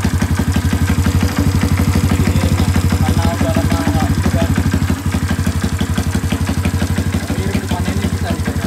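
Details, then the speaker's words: 1981 Kawasaki Binter Mercy 200cc, previously hard to start: kick-started without throttle, even steady thumping about three beats a second holding by itself. Normal idle. "oke ya Jadi untuk hidupnya itu sudahah gampang untuk hidupnya itu gampang gak perlu kita pegang gas hidupkan kontak engkol dia bisa hidup normal langsam ya sa hidup normal langsam"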